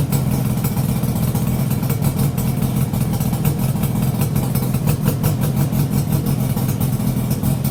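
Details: Yamaha RD350YPVS F2 two-stroke, initial start after full rebuild with new bearings, seals and rebore, plugs loose on first run: even steady idle burble, no knocks or rattles; engine now nice and quiet.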